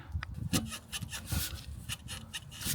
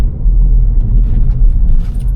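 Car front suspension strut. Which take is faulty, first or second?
first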